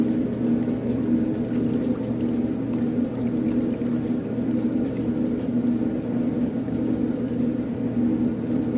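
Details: 1960s Maytag washer mid-cycle: even motor drone with steady agitation, faint clicks but no rubbing, whining or grinding; motor sounds healthy, no major leaks, possible pebble in the pump.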